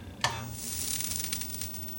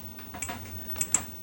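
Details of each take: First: 25-inch K7000A arcade monitor chassis after replacing the horizontal width coil: sharp snap at switch-on, then soft fading hiss and crackle as high voltage comes up; normal CRT power-on, no smoke. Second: 25-inch K7000A arcade monitor chassis on the bench after repairs, at power-up: three sharp, faint, irregular ticks over a low hum while the image jumps; cause not identified, owner wonders if it is the flyback.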